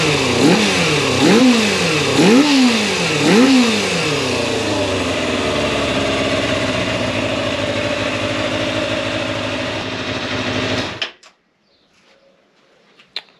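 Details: Fully rebuilt 1990 Kawasaki ZX250, warm, after carb balancing with only minor adjustment: three quick blips rise and fall cleanly, then a smooth, even idle until shutdown. The carbs sound well balanced.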